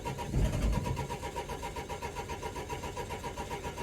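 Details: Cold 2004 Renault Trafic 1.9 dCi (coolant about 6°C) with fault DF195: steady starter churning at a few beats a second, cranking speed up to about 300 rpm, catching faintly but never firing. It cranks but won't start.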